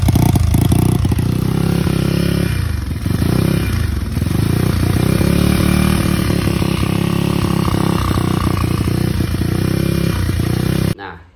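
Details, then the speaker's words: Motorcycle, carburetted, stumbling intermittently when just started for the ride home or when overtaking: loud engine breaking up with popping stutters; symptoms sometimes change with headlight on/off, owner hopes a new Bosch battery fixes it. "Nah gitu kalau pas mau pulang tuh pas baru nyala motornya itu muncul berbat-berbat."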